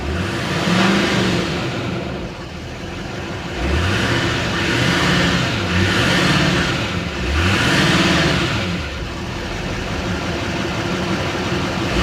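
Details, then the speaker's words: Duramax diesel 4WD pickup with front-end damage at an auction lot, listed as start but not drive, no check lights, stock exhaust: revs swell up and down with a clean rising turbo whistle; normal turbo spool. "see what she sounds like yeah it's got a regular exhaust on it too you can hear that turbo spool up though"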